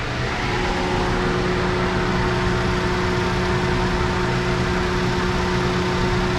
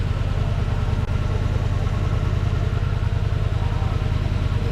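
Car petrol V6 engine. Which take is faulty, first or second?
second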